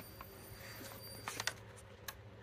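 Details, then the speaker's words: Samsung UN55D8000YF 3D TV that turns on and then off: with the backlight flickering on and off, sharp clicks about a second apart as the power relay keeps retrying; caused by bad solder joints. "when I turn it on uh this relay right here pops and it just turns right back off here let me let me show you okay there goes the pop back light turns on and then turns off"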